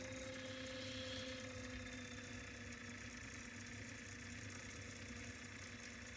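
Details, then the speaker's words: Sony TC-K777 cassette deck after restoration: reel motor running in reverse at about 124–126 Hz after replacing a failed transistor and readjusting the reel screw so the magnet no longer sticks to the brass pulley; steady mid-pitched hum, speed wavers slightly under load, works well. "It may be uneven due to load, so but it works pretty well now."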